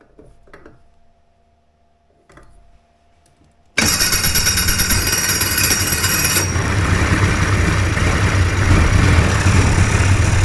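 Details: Two-stroke hovercraft engine, newly fitted coil, carbs sorted, primed in the shop, fires after a few quiet seconds and settles into a steady, even idle with no misses or knocks; normal idle.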